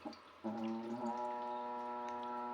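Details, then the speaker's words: Newly installed toilet: as the cistern refills after a small or large flush, a loud, steady low foghorn-like hum with clear overtones holds unchanged. The fill valve is suspected of droning, not confirmed. "нажимаем Малый слив смывается большой нажимаю гудит"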